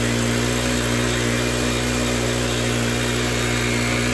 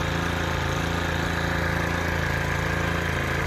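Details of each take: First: Stihl FS 110R 4-Mix trimmer on the bench, clutch not engaging, before repair: holds a steady high scream with the throttle fully closed and never idles down. Carburettor is leaking gas; a vacuum or air leak is suspected. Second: Stihl FS 110R 4-Mix trimmer on the bench with no clutch drum, which previously wouldn't idle down: after repair it holds a steady, even idle with no surging or hunting; normal idle.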